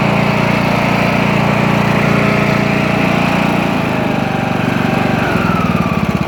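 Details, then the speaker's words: Craftsman T2200 tractor, Briggs 540cc engine after camshaft replacement, first start on choke with fresh oil: even single-cylinder chug settling into a steady regular beat, no knocks or misses; normal running after repair. "all right engines fixed hard parts over i'm gonna put all the covers back on everything i'm gonna let it run let it warm up make sure it's good"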